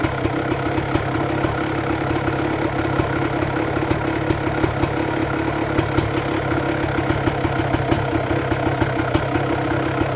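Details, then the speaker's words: 1999 Honda CR250R two-stroke after a new exhaust gasket and springs at the cylinder joint: crisp, even idle with steady rapid firing and no blowing or ticking from the exhaust joint, quieter at the front than when it leaked. "So I think that was a success. It didn't leak whatsoever in the front, and the sound was much quieter in front, because I thought that the engine's noise was much greater before when it was leaking."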